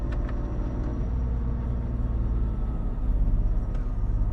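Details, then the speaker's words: 2001 BMW E46 325i coupe, manual, idling after the slightly whiny A/C compressor was switched off: deep, even low rumble with a steady beat and no whine or knock, slightly quieter. Normal idle. "and it's slightly quieter again i'm trying to be overly picky here"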